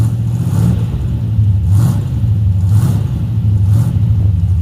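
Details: 1963 Ford F100 Y-block V8 with newly installed Holley 2300 carburetor, Patriot headers and Cherry Bomb mufflers, radiator not yet fitted: deep, even idle with four clean throttle blips rising and settling smoothly; normal idle and revving.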